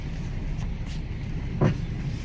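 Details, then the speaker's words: Jeep Compass, about 150,000 miles, ABS and traction control lights on, rolling slowly: heavy single clunks over low road rumble with one sharp knock standing out; very loud suspension noise, worn front strut coming apart. "good Lord okay this suspension about to come apart all right this is like a Jeep Compass guys oh my goodness let me see something good Lord that is loud"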